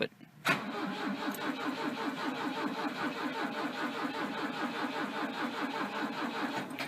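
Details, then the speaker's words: 1983 Volvo 242 Turbo on MegaSquirt, cranking in neutral: steady starter cranking that never catches into a run; owner says it fires then cuts the computer connection and shuts off, with dwell maxed at 11 ms. "it'll crank for a bit then it'll fire it'll cut the connection to the computer and then it'll shut off"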